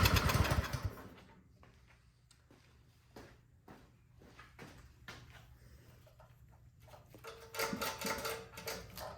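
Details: Troy-Bilt Storm 2410 snowblower that would not start, owner suspecting a carburetor clogged by old gas; started with the electric start, choke on, unprimed. A loud start, then a low, steady putter with no stalling or surging; it runs normally.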